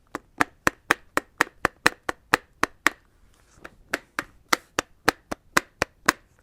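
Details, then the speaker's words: Roller skate wheel spun with its axle nut (bolt) far too loose, hanging off the axle: sharp, regular clacks about four a second as the loose wheel wobbles and knocks. "How the bolt is pretty much hanging off of the screw. And when it's too loose, it'll sound something like this."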